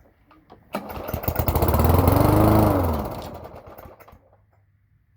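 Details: Toro lawn mower, cold start after earlier priming: one pull fires it, revving rough for about two seconds before fading and dying; hard starting when cold.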